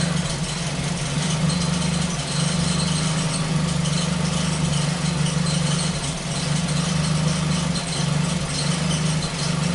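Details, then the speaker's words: Ford Focus petrol engine at idle after sensor/intake port repair: mostly smooth hum with an occasional brief stumble, misfire less frequent than before but still present. "we have to drive it it's not as frequent as it used to be but it's still there still does it there you go right there"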